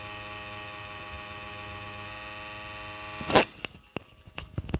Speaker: Okay, this is my laptop and my laptop has producing big irritation sound you can hear here, and it's vibrating also here. My laptop is vibrating.